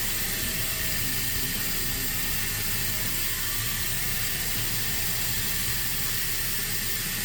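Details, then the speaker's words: End-dump truck stopped on the highway, heard from outside; steady, loud, arrhythmic hiss from the side of the PTO/dump control valve, air lines all connected but its internal seal blown, draining the air tanks; air leak, valve to be replaced. "That's where the air is coming from. Which tells me everything's hooked up, so we're good with our air lines, but the internal parts of this thing, we lost the seal."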